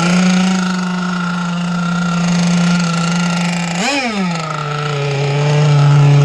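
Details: 30cc two-stroke (carb thought to be 2048, needles 1¼ turns out, stock settings) on an RC T-44 catamaran running in cold water: steady buzz that blips up, then settles soft and burbly without crisp response; way too wet, and the prop needs work.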